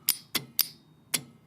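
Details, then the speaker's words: EV high-voltage battery contactor (large relay) energized on the bench: four sharp loud metallic clicks with no buzz or chatter, switching crisply with good contact continuity. "so I think you hear that's a massive click here because it's a massive relay"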